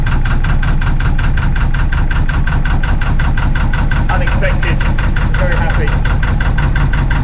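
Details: Narrowboat diesel started for the first time in about three or four months: even clatter at about three beats a second, steady and regular with no misfire, a clean normal idle.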